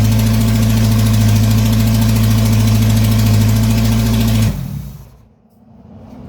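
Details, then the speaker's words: GM 2.2 engine on its first start after a rebuild: a loud, flat, high-revving roar because the throttle cable fell off and the pedal stuck wide open; an EGR tube gasket vacuum leak was also found. Engine racing with throttle stuck wide open. "watch out something wrong with the throttle throttle stuck full down pedal in there stuck all the way down"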